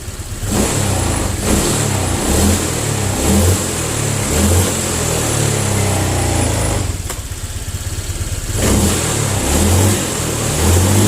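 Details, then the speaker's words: Honda Vario 125 injection scooter after the throttle-delay fix: quick throttle blips about once a second, revs rising and falling promptly with no lag or stumble; pull is more responsive with no delay, normal throttle response. "nah oke tarikannya juga lebih responsif tidak ada delai lagi"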